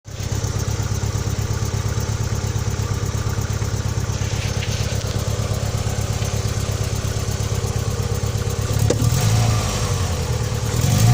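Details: Opel Vectra B engine at idle: steady low idle with a faint irregular ticking and a brief rev near the end; abnormal engine noise, cause unclear.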